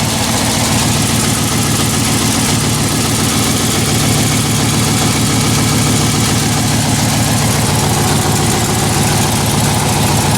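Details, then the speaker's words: 1983 Jeep CJ, just jump-started after repairs: steady V8 idle with a faint quick puffing tick in time with the firing; small exhaust manifold leak. "That's better. I got a little exhaust leak over here."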